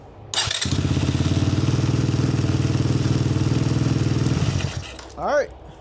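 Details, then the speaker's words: Apollo 250cc Chinese dirt bike after electrical repair, exhaust completely cold: cranks, fires quickly and settles into steady even putter, about four beats a second, then shuts off cleanly; starts right up on cold start. Normal start and idle. "It's running good. Starts right up. That's a cold start."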